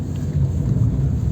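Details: Renault Clio Alize driving at steady speed after wheel bearing replacement (earlier noise growing into loud rumble): only smooth low road and wind rumble, no growl from the wheel; bearing now quiet.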